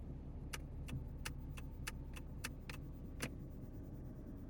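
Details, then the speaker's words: 2012 Ford Mustang at idle in park after sitting 3 weeks, gauge cluster going haywire despite good battery and alternator; about nine even clicks under the dash, possibly a relay; later thought to be the gear selector button. "There must be some kind of a, I hear something clicking under the dash. Maybe a relay or something that activates this button?"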